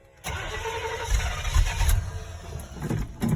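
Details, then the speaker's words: 1986 Chevy K10 on a cold day, pumped repeatedly with the choke cable unhooked: it cranks and catches with an uneven low rumble that surges and sags, dying several times before it will idle. Hard cold start that stalls. "it takes a it takes like maybe four or five tries to get this truck to idle so there's it'll it'll start up and die a lot before it'll get to idling"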